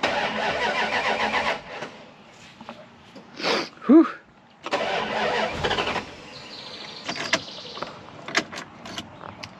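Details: Dodge Ram 1500 project truck: starter spins the engine briefly a couple of times but it never fires; crank-no-start while listening for the fuel pump and an unexplained beep; the fuel pump was previously worked on and is suspected, not confirmed.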